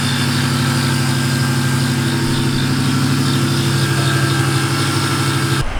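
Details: Nitrous Ford Mustang 4.6 at idle after a belt-drive fix attempt: faint uneven tick, roughly three per second, over the hum, still coming from the accessory belt drive, exact pulley unknown.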